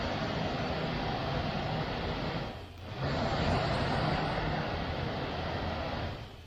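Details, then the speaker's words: 1969 MGB heater blower motor, bench-run after sitting stored since 2001, re-oiled: a steady motor hum with a faint whine on top at even pitch. It is quieter than before, and the whine started as the oil worked up the shaft. "He the wine just as the oil was working its way up the shaft started whining at"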